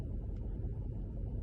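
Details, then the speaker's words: Mercedes E63 AMG V8 after fixing a misfire by gluing a cracked coil pack rubber boot: deep, steady idle with no stumbles, no engine light or misfire. Normal idle; owner unsure the fix will last. "Got some good news, there's no more misfire. It's a strange one, but yeah, it's running sweet, touch wood."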